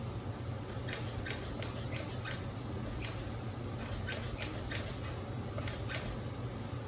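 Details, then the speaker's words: Dualtron Mini electric scooter squeak: short, high, irregular squeaks over a low steady hum as the scooter is worked, before WD-40 is applied to the suspected joint; exact source not confirmed. "okay okay so you hear that squeaking right so let's see if the wd-40 and my friend show me where to put the deep wd-40"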